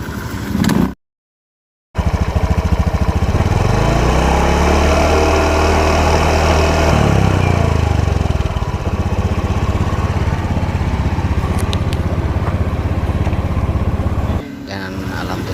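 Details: Honda Beat scooter after repairing final drive (gardan) rough-noise fault and reassembly: engine revs up and settles to an even idle, no rough growl from the final drive.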